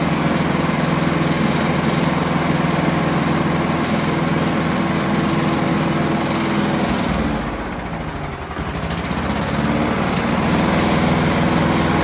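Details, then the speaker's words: Scott Bonnar alloy mower with a Briggs & Stratton 4-stroke before repair: it drones at one low steady speed and revs don't change from minimum to maximum throttle; owner suspects the governor springs. "basically it doesn't sound like the revs are changing at all from the minimum setting all the way up to the maximum setting"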